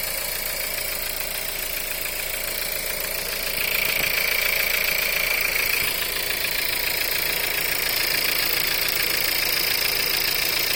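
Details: VW 1.4 TSI EA211 at cold idle: a steady metallic ticking knock at about four per second rides over the engine on a cold start; the cause is not yet identified.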